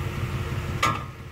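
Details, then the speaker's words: Automatic car parked on an incline by shifting into park before the parking brake: over a low idle rumble, one sharp metallic clunk rings out when shifting into reverse as the loaded parking pawl lets go, harmful to the transmission. "Hear that big clunk? Yeah, that's not so great for the transmission."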